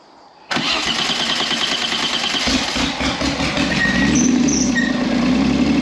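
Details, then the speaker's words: V6-engined trike that had stalled and wouldn't restart, after connections were replugged to restore the fuel pump: brief crank, then catches and settles into a loud, raspy but steady idle through the short exhaust; starts and runs fine. "start lovely this is good enough listen to that bad boy purr awesome"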